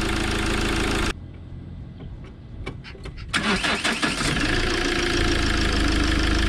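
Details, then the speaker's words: 2007 Fiat Ducato 2.3 Multijet diesel (F1AE0481D), 304,000 km, timing kit replaced: brief crank, quick catch, settles into even steady diesel idle, no misfire or knock, zero smoke; healthy start. "Deci se vede că fum zero."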